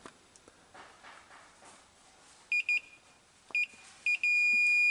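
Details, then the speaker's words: 1995 Honda Fourtrax ATV with a no-spark, no-start condition. The meter's continuity beep cuts in and out even when the start switch is pressed hard; the switch contacts are intermittent and dirt inside is suspected. "Yeah. It's not making good contact. I bet you there's some boogers inside that switch."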